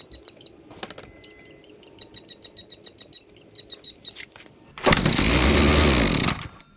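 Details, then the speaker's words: Near-new Makita ER2600L line trimmer on premix. Clean, spark good, but the fuel line had broken off inside the tank. Pull-start pops, then it catches, buzzes about 1.5 seconds and dies: fuel starvation. "I've been trying to work out this thing would start stop Run start stop whatever I thought what is going on the car's clean Spark's good everything's good and I thought I'll have a look in the fuel tank and you can see the fuel line has broken off so so it runs then it starves itsel"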